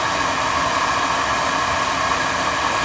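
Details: Burnham oil boiler at annual service, burner firing with draft confirmed over the fire; steady, even roar with a constant mid-pitched hum and no pulsing or rumble, burner firing cleanly with good oil flow.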